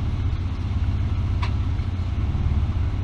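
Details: 1999 Ford Explorer 4.0L SOHC, cold idle before warm-up: lumpy, uneven, wavering low engine note that won't settle; rough idle traced via long-term fuel trims and homemade smoke machine to a vacuum leak.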